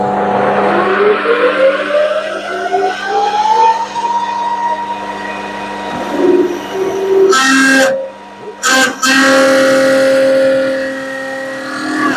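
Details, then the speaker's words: Lathe at 1200 rpm with an 8 mm HSS tool cutting a rivet dimple in a steel bolt for a rivet press: a ringing squeal climbs in pitch as the cutter feeds in, then stops in bursts; the tool chattered quite a lot. "right well that chattered quite a lot the dmle is in doesn't look too bad"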